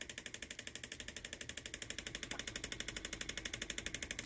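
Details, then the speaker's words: 3D-printed pulse motor with new rotor: fast, very even light clicking in time with the spinning rotor, which is tapping the inside of its housing slightly; quieter once fixed. "I also got to fix the inside cuz it's tapping the wall just ever so slightly"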